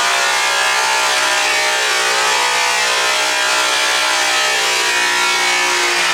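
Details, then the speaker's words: High-torque full-speed polisher/buffer leaned into with heavy pressure: steady high-pitched whine with dense buzzy hiss sagging as load goes on; slows significantly, estimated to about 6000 RPM. "as soon as I put pressure load on it and started really leaning into it um it did slow down significantly I would say it probably slowed down to about 6000 RPM"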